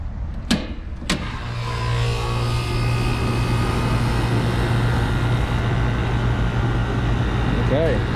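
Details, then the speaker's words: Old packaged air conditioning unit that was not cooling, after a burnt wire was spliced and the contactor wiring redone: two sharp clicks at start-up, then a steady hum under even fan rush. The condenser fan and the rest of the unit are running normally. "sounds good got the fan motor running the condenser fan motor is running everything's running"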